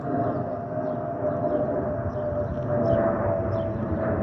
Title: 💛🖤💛Spirit Airlines Airbus A320-232 N607NK NK1617 MCO-DTW (FOPP whistling sound)💛🖤💛